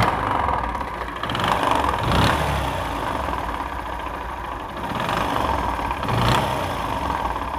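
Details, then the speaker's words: Old Bajaj CT 100 single idling and revving with a harsh mechanical clatter and ghat-ghat knock: the connecting rod is completely damaged. The rod was fairly new; engine oil supply to it was being checked. "এই যে দেখেন connecting রডটা সম্পূর্ণ নষ্ট হয়ে গেছে, এই জন্য sound করতেছে।"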